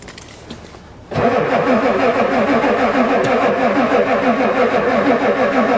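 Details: Ford diesel truck at +4 °C, even cranking about three turns a second, never fires; the new glow plug controller never clicks despite its solenoid, owner suspects it doesn't work.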